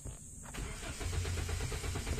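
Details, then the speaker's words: 2017 Hyundai Accent manual, just back with ECU reworked over an ignition-coil problem, fuel pump possibly replaced; starter whirrs briefly, engine catches and runs unevenly at a low rumble, then dies instead of settling to idle. "Eh, wala. Namamatay. Andar na siya kasi namamatay."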